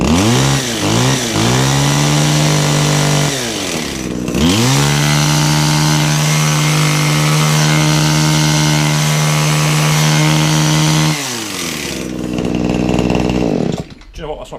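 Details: Kawasaki hedge trimmer two-stroke on 50:1 fuel, after repair: revs up in a few blips then holds a steady high buzz before dropping back; runs cleanly, though the owner notes it wants a little on the top end.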